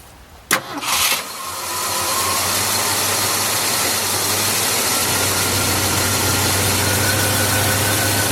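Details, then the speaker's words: 1971 Ford F-250 shop truck, earlier noise suspected stuck lifter: cranks briefly, catches at once, smooth even idle with no ticking or knocking; normal start, owner suspects sticky ignition switch. "first she started right up probably got a sticky ignition switch but uh this time she started up and no noise"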